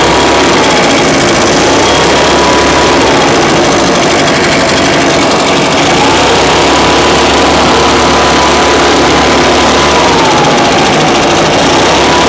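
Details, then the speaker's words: Echo PB580-T backpack blower, two-stroke, after throttle swap from another Echo model, different carburetor and new spark plug, primed and choked, air filter off, warming up: high steady buzz with slight speed rises and falls, clean and even. "Okay, now I just want to see if she starts up. Let it warm up."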